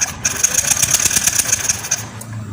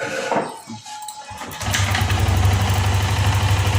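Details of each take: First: Yamaha Lexi fuel-injected scooter, dead with ignition lost: starter spins engine with fast even whir and rapid ticks but never fires, no spark at plug lead, after finding broken orange coil wire from ECU. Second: Yamaha Lexi restart after repairing ignition: broken coil wire and missing coil ground fixed; starter whirr, engine catches at about two seconds and settles to steady, even low idle with no misses.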